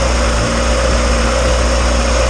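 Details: Turbo Honda engine just installed in EG hatch, first start on cheap break-in oil, not in gear; fired right up, extremely quiet smooth even idle, no clanging, ticking or slapping; small oil leak at turbo noted.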